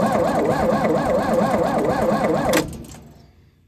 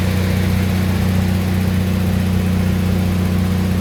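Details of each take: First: Lincoln SAE 300 welder with Chevy inline-six, on full choke and throttle: steady rhythmic cranking around three beats a second that never fires; fuel pump heard working, no spark traced to dirty ignition points. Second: Lincoln SAE 300 welder with a Chevy inline-six engine, after ignition circuit repairs, started choked at about half throttle: a steady, even note at constant speed with no misses, knocks or rattles.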